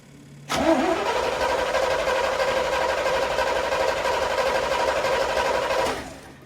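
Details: 1979 Corvette L82 V8, cold start after reversing a backwards-installed choke spring and raising idle screw, possibly running lean; catches at once, holds a steady, high fast idle on choke with even beat; high fast idle when cold.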